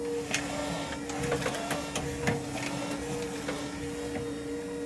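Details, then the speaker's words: Jeep CJ7 converted to electric drive, in a warehouse: a constant mid-pitch whine from the noisy power steering pump over light clicks; it quiets down after sitting a few minutes with no load. "so that's this thing completed the noise you hear is the power steering it's a little noisy"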